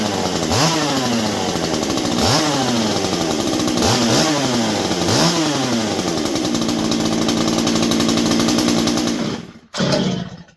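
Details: Stihl MS201T chainsaw, fully stock, about ten years old and worn, just deep-cleaned: four sharp throttle blips about every 1.5 s drop back to a steady idle, then it shuts off; clean, normal running.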